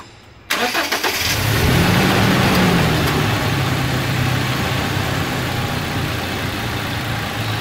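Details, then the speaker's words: Toyota SW4 2.7 flex petrol 4x2, cold start after post-purchase service (oil and filter change): quick crank, catches cleanly and settles into a steady, even idle with no knocks or rattles; healthy start. "essa torrada do motor gasolina de alta cilindrada é bonito que eu vim né isso é uma sinfonia para os meus ouvidos"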